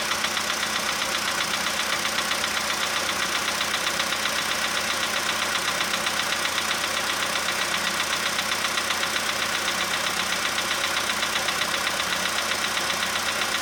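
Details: 2015 VW Polo sedan, cold start with engine at +5 °C, outside −2.5 °C: steady fast light tapping about four per second over idle; suspected cold valve or hydraulic lifter, unconfirmed.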